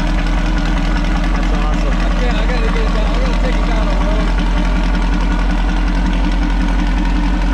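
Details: Possibly 1973 VW Baja Beetle, long-stored with no air cleaner, first start after choke adjustment and throttle cable lube: even, loud air-cooled putter at idle, regular beat, no stumbling; healthy.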